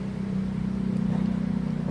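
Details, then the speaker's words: RBC411 two-stroke brush cutter after reassembly with throttle cable fitted wrong: steady high-pitched buzz that never drops toward idle because the throttle stays held open on starting. "ถ้าเร่งค้างสตาร์ทเครื่องสตาร์ทเครื่องขึ้นนนี่ค้างเลยนะครับนี่อย่างงี้ไม่ได้นะครับผิดนะครับ"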